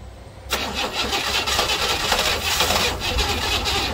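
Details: 1968 Buick Riviera parts car V8, cranking on a low battery with suspected timing issues before setting top dead center; starter churns steadily about three and a half seconds, no firing; cranks but won't start.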